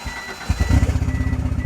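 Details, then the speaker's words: Auction car listed as running, with turbo timer: cranks and catches, then lumpy uneven low pulse instead of smooth idle, sounds like misfiring, then dies out; no exhaust smoke seen; cause unconfirmed. "Well, it definitely runs, but then it dies out, and it sounds like it's misfiring, but I didn't see any smoke coming out of the exhaust."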